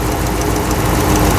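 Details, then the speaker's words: 2009 Ram 5.7 after rebuild, idling with coils reinstalled and a vacuum line blocked off: light quick tick keeping time with the engine, loudest at the number 1 front rocker arm, exhaust side quiet; valvetrain tick, cause unconfirmed. "Sounds loudest on the front rocker arm."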